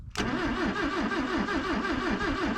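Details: 1966 Toyota Stout pickup, abandoned and sitting for years, start attempt with spark checker showing high spark: starter churns steadily at about five compression pulses a second, no catch or firing; engine cranks but won't start.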